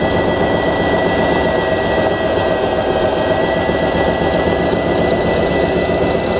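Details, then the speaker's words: Heavy Duty sewing machine after bobbin case (sekoci) tension setting: fast, steady needle clatter about four strokes a second with a rough edge; the bobbin case part had come loose, turned the wrong way, and must latch properly. "Oke, bentar, ini ada yang salah, ininya kelepas."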